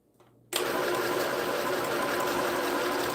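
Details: New sewing machine (same model sold at Walmart and Temu), runs without the foot pedal once switched on; quick even stitching chatter with no knocks or catches, reverse stitch tested and working; runs cleanly.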